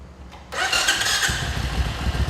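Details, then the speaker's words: 1994 Suzuki Intruder 1400 cc V-twin with 12,000 miles, fully detailed, 4-speed: a brief electric-starter whirr, then it catches at once and settles into a steady, even low idle; a normal, healthy start. "fires right up electric start fur's like a kitten runs like a it's faster than my new harley"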